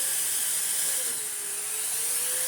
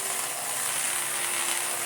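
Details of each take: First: Restored Electrolux D820M (Lux 1 Royal) vacuum cleaner with the hose blocked: a steady airy roar whose motor pitch sags, then climbs back once unblocked; normal automatic suction power ramping. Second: Restored Electrolux D820M (Lux 1 Royal) vacuum with air-driven turbo brush tool: steady high buzzing rasp with fast ratchet-like rattle, grinding but still spinning; well-used tool sounds terrible but works.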